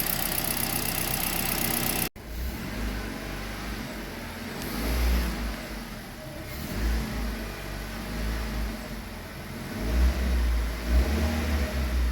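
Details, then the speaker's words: Kia Rio G4LC engine just rebuilt, running after the exhaust manifold was retightened, no warning lights: clean rev blips rising and falling smoothly from a steady idle, quiet, with no knocking, ticking or misfire; normal revving. "it's running everything is running look at that there no lights that this Tru so yeah we're good to go just listen to that just listen to that quiet nice"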